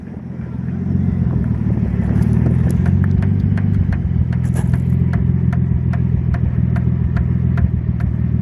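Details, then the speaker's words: R33 Nissan Skyline at a drift event: sharp regular ticks from the back left, speed-dependent in third gear, quickening with road speed; a piece of rubber stuck on the tire. "that's so weird ah it's a piece of rubber on the tire yeah i'm not even joking that one right there"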